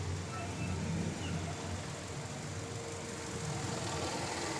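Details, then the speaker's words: Mitsubishi Xpander after rear brake cleaning, engine running with air conditioning on: low, even engine hum with no squeal, chirp or knock; the rear noise heard when pressing the brake pedal did not return. "Oh ' ba nakita niyo umandar na itong sasakyan pero wala naman siyang umingay."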